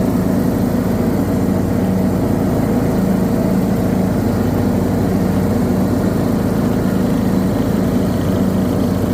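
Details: John Deere D110 lawn tractor with Briggs & Stratton 19 HP engine: steady hum breaks into ragged, uneven pops and drops, surging and misfiring under load.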